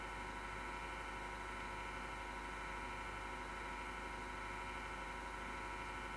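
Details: MSGW Plutos PC power supply fan grinding since December 2015: steady rough whirring with constant buzzy whine at unchanging speed, with felt vibration; bearing probably worn.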